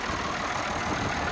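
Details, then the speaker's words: IH 1466 salvage tractor, idling: even, steady diesel clatter with no misses or knocks. The injection pump is leaking and making a mess, but the engine runs pretty good. "making a mess, but it, you know, seems to run pretty good. It'll make good parts."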